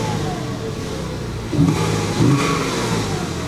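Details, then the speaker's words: 2000 Porsche 986 Boxster S, pre-facelift with dual-row IMS bearing, driven about 250 miles home and running well apart from a large oil leak. Two throttle blips from idle; revs rise and fall cleanly with no misfire or knock. Healthy engine. "the engine does seem very smooth like I said I've driven this car over you know about 250 Mi home and yeah it seemed to drive very very well it didn't seem underpowered"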